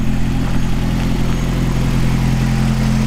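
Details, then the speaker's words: 1986 Toyota 4Runner idling after a day of adjustments, with a new air filter already fitted and ducts checked: low steady even hum, no misses or rattles; clean, healthy idle, purring. "all right guys I've been messing with this stuff all day and I finally got it to purr like a kid hear that"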